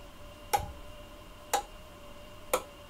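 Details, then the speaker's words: Powergrip YG-1 power conditioner switched on with mains at 239–241 V: three crisp relay clicks about a second apart as each outlet zone powers up in sequence; normal relay switching. "la séquence d'allumage des différentes zones. Et là, vous entendez claquer les relais. Donc ça veut bien dire que toutes les zones sont contrôlées par des relais."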